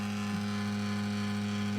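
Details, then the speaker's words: Games console cooling fan, less than an hour into playing Final Fantasy, drones loud and steady with a constant low tone, no speed change; getting much worse, system super hot, sounds about to take off. Loud cooling fan noise. "It's getting much worse. And the system is super hot."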